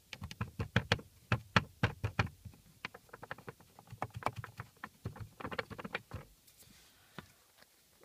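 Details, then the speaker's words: Lada Priora glovebox removed and shaken: its two loose metal bushings give irregular sharp metallic clicks and taps. This rattle can sound like a suspension knock from the right side. The planned fix is wrapping the bushings in electrical tape. "вот эти вот две металлические втулочки они издают звуки сейчас слушайте и старая также и"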